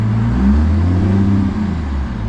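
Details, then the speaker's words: 2nd-gen diesel welding-rig truck after a bad PCM, with a new wiring fix installed: deep steady diesel drone swells and eases with RPM changes, no hunting; the earlier surging under load is gone, normal revving. "probably hard to tell was before it was real bad it would it would surge under load um again it's not doing that even with RPM change"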